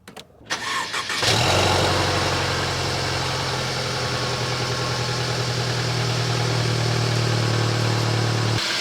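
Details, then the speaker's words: Mercedes-Benz cold start: brief crank, then the engine catches and settles into a steady even high idle with no knocks or misses, normal. "All right, time for a cold start on the Benz."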